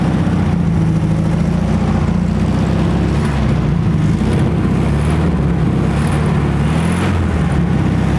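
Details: 1968 Volkswagen Beetle, air-cooled, sat over 20 years: deep, low, thumping run with a slightly uneven beat at first start, running roughly on fuel poured straight into the carburetor plus starter fluid.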